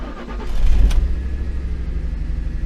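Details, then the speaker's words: 2008 Ford Expedition after replacing the bank 2 cam sensor and clearing codes: engine still runs extremely rough with a lumpy, irregular thumping idle and some metallic sounds; owner suspects timing is off from a phaser or skipped chain. "still running bad oh let it run for a little bit all right so with replacing the bank to cam sensor still running extremely rough and it had some I guess metal sounds at one point"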